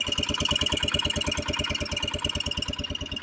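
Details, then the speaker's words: Kawasaki Brute Force 300 ATV (Kymco engine), hard starting, backfiring, black plug: thumping idle with steady piercing high whistle like a leak; owner suspects tight intake valve held slightly open, backflow into intake, before valve adjustment. "I don't know if you can hear that high pitch it almost sounds like a leak and I've been working on these long enough to know what sounds normal and what doesn't"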